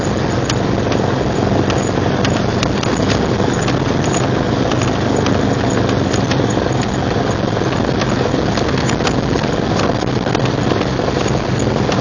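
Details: 1999 Jeep Cherokee XJ, 6.5in lift, Dana 30 front axle: continuous rough grinding roar with sharp irregular clicks, front only in 4WD Hi and Lo, worst under load; persists after new U-joints, rebuilt differential and driveshaft; cause unclear.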